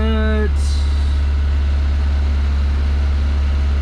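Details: Toyota Celica first start after rebuild, clutch not yet bled, out of gear: steady, fast, unchanging drone with no dip or hunt, sitting around 2,000 rpm; fuel pressure about 83–85. High idle; cause not confirmed.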